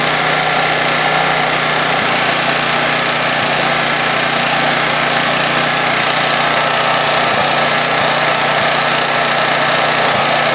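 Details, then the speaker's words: Honda EX800 generator (120 V AC, 12 V DC, 800 W max/700 W continuous) after tune-up, governor adjusted from 50 Hz toward 60 Hz; steady even drone at one constant pitch, no surging or misses, quiet; normal running. "so that looks like it's ruining it that's pretty quiet not bad maybe I should test it out"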